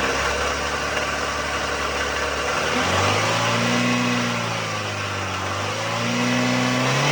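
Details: '04 Toyota Matrix XR, 1ZZ-FE, 5-speed manual, 174,400 mi, burns ~0.5 qt per oil change, at operating temp with A/C high, windows and full-lock steering loads: revs up and down with light metallic rattle following engine speed; cause undetermined.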